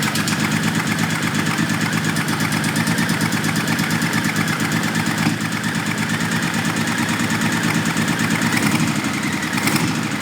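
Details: 1997 Honda Valkyrie six-cylinder, first start after sitting 10 years. Even, fast pulsing idle with no misses or knocks; smoke from the exhaust, which the owner suspects is debris in the exhaust, not the engine.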